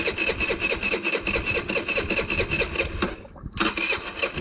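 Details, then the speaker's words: GY6 scooter with a stripped, wobbling carburettor idle speed screw: a weak, uneven putter that barely starts, drops out briefly and stumbles back; the idle won't hold and the engine stalls because of the damaged screw. "Yep. See? See, it barely starts up. See? Hear it? Now watch. It dies down. The idle speed screw here is bad."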